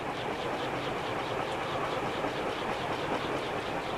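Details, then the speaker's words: Restored Safer-made Airmaster industrial ceiling fan with steel blades and a stamped steel motor. Stiff bearing fixed and blown capacitor replaced. Running on high at a steady 0.7 A with an even, soft whoosh and no scraping, rattle or hum; it runs normally. "And it sounds like it's still accelerating. So one thing about steel blades, they take a long time to speed up, and then they will have a long spin down time."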